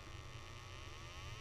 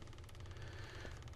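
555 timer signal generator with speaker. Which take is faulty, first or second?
second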